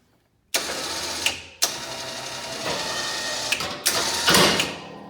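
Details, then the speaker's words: Polaris Sportsman 570 winch after fix: solenoid had clicked but motor was dead; a damaged inline 50 A circuit breaker was replaced, winch and solenoid were fine. Now the motor spins up in short pulls with steady whirring and clean stops, running normally. "this is regarding the uh the winch issue that i was having um it is working now"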